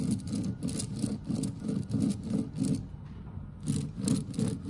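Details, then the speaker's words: XYZ Proturn 420 lathe headstock spindle roller bearing, removed and cleaned, spun by hand: gritty, rumbling grind pulsing about three times a second; scored races on worn spindle bearing, unlike the new one. "you can just hear the noise so that's probably contributing quite badly"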